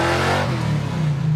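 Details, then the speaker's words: 1968 Plymouth Satellite Road Runner clone, 383 V8 with carburetor and four-speed, later on the drive: a deep, even rumble that pulls and settles cleanly under throttle. Runs better than before. "that sounded all right that sounds better"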